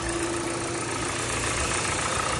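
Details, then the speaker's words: 2015 Hyundai Sonata LF, 2.0 petrol, 177,677 km, just started: steady, even idle with a smooth hum and no knocks or ticks; no oil leaks, engine runs well and healthy. "Майталған жерлер жоқ, дыбыссыз, қазір ғана оталдырдық, жақсы жұмыс істеп тұр."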